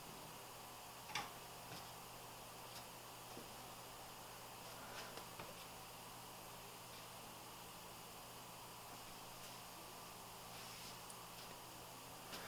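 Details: Corsair CX430 power supply after repairing its loud tractor-like fan: soft, even airy hiss with faint low hum and a few stray ticks, no rattle; fan runs quietly, though it visibly wobbles slightly.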